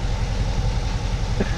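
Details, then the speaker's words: C7 Corvette V8, automatic, before tune and ProCharger: deep, steady exhaust burble with even low pulse, no knocks or ticks; running smooth, normal idle. "Everything's running smooth and good. Let's listen to this exhaust."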